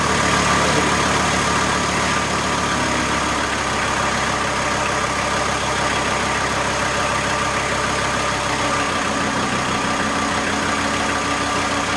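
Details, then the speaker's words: VW T4 AAB five-cylinder diesel van, about 250 km after rebuild, warm idle, driving lights and fan loading the generator: even beat settles slightly lower to about 775 rpm (spec 850 ±50), still smooth; normal idle under load. "So now we have a typical load. We have driving lights and a fan. And reading is now 775, so it drops a bit, but as far we are over 700 with the full load, it runs quite okay."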